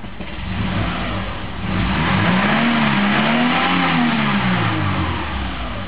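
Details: 1998 Subaru Forester, first mile on a morning start, idling in heavy traffic: idle slowly climbs then sags over a few seconds, hunting; seemingly fixed by cleaning the IACV, mass airflow sensor and throttle body and lubricating the accelerator cable.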